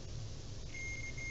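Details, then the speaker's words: Multimeter on continuity mode while troubleshooting an old 12-gallon 4.5 hp Shop Vac switch: quiet hum then clean steady high beep as leads touch; continuity test working. "and you get a beeping noise you should hear that"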